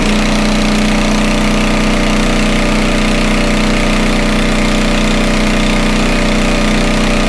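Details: Homelite 2500 W flathead generator, repaired (stuck valve), after slight speed adjustment via dial: steady even pitch, no hunting or surging, healthy; frequency stays at 60 or 59.9 Hz, voltage slightly high.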